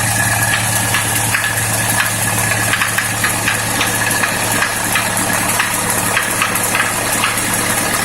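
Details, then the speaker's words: ZMZ-51432 engine, silent when cold, develops a sharp ticking knock about twice a second over the idle clatter roughly 3 minutes after start once warming, getting more frequent as it warms; source undetermined. "Примерно минуты 3 прошло. И вот резко началось вот так вот. На холодную тишина была."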